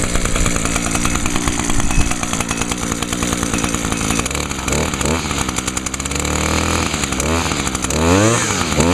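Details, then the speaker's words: Echo PAS 230 two-stroke trimmer after fitting a new carburetor, previously only ran on fuel or spray dumped into the throat then died: steady buzz with sharp clean revs, no bogging; normal throttle response. "Oh, yeah. It runs so much better now. Has much better throttle response, too. I'll give it some revs."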